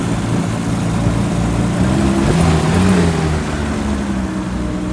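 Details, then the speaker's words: BMW E34 M5 with 336,000 miles, started on a jump box after sitting about 8 months in flooded woods. A smooth, even idle with clean rev rises and fan roar, no knocks or misses. Healthy: normal idle and revving. "This thing sounds healthy. It sounds fine. It doesn't even sound as if it's been sitting here for like 8 months."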